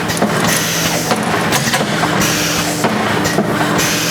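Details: Servo pusher pleater on 208–240 V three-phase: steady mechanical running with sharp clunks about every half second as the clamp drops before each push; the cycle sounds normal.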